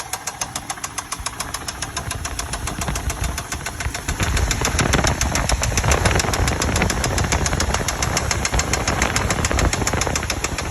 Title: 2000 Chevy Tahoe Limited, making engine noise Need help!!!!!